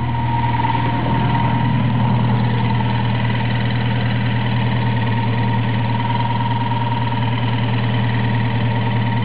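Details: Toyota 4A-GE small-port engine with T50 gearbox, idling just after a clutch replacement: uneven rapid pulsing and faint ticking on the engine note; abnormal noise, cause unknown, owner says not the water pump or alternator bearings.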